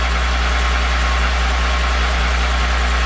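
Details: VR6 engine at idle: steady, heavy idle with a fast, loose knock running through it at engine speed; owner suspects piston slap, but the source of the deep internal knock is unconfirmed.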